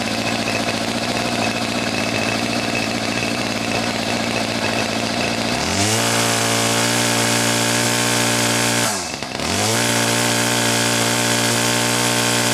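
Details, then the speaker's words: Ryobi 2800R curved-shaft string trimmer, MTD-made two-stroke engine, held at wide-open throttle while the carburetor mixture screw is turned in for peak revs, then backed out 1/8–1/16 turn, done warm; scream rises in a step, dips briefly, holds high: lean mixture at wide-open throttle. "so what I've done is I've held the throttle wide open and I've turned in the adjustment screw until the engine revved the highest and then just back out 1/8 to 1/16 of a turn and that's where you want it to be set"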